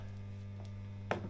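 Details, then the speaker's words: Fender Blues Deluxe amp in for a new standby switch: a steady low buzz near 100 Hz with a faint overtone cuts out for a second or two, then returns worse; an unhealthy capacitor is suspected; intermittent mains hum. "I noticed it just cut out for a second or two and now it's cut back in and it's even worse well that is a bit noisy"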